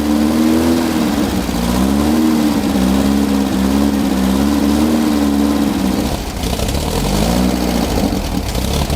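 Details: Rebuilt 1600cc dual port air-cooled VW engine in a dune buggy, first start, flooded: runs rough and uneven with wavering low note and surging speed; idle set too low to stay running.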